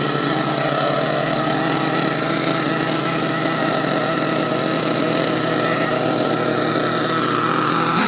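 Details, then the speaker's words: HPI Savage XL twin nitro monster truck with two brand-new, breaking-in engines, low-speed needles not yet adjusted: both hold one smooth, even high buzz with no beating or surging; engines in sync. "Well guys, as you can hear, that's how it sounds when two motors is in sync."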